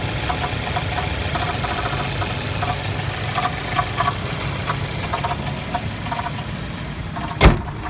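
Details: Jeep Renegade 1.4L turbo at steady idle with a light, irregular ticking knock and no change in speed; it does this all the time and the dealer could not identify the cause.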